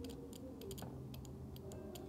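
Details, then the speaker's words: Fuel injector from a 1998 BMW 740i (poor running, no acceleration) bench-tested with a 9-volt battery before cleaning: sharp, crisp clicks each time power is applied; solenoid opens cleanly. "so if you apply power right here you should hear the fuel injector open"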